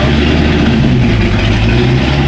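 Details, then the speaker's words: Jaguar LS-swapped with a fuel-injected, cammed LS of nearly 500 hp, at its first startup after starting troubles. Loud, steady, lumpy idle with a choppy low rhythm from the cam, no misses or knocks. Normal cammed idle. "Oh, the cam sounds nice. Yeah, the cam sounds great."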